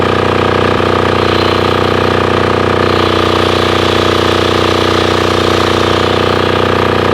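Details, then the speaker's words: Formerly non-running Titan 7500 W diesel generator revived after cleaning, started on a weak jumper box using compression release: steady even single-cylinder diesel beat at constant speed, no misses or knocks; normal running. "man that sounded good try it again set her to run that's violent"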